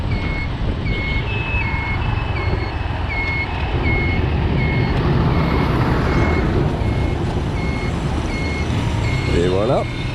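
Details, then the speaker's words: Motorcycle riding in Vietnam: the turn signal beeper gives steady, evenly spaced high beeps about four a second, like a reversing truck, over road rumble. It is working normally. "Wie man hört, es piepst und piepst, so wie wenn ein Lastwagen rückwärts fahren."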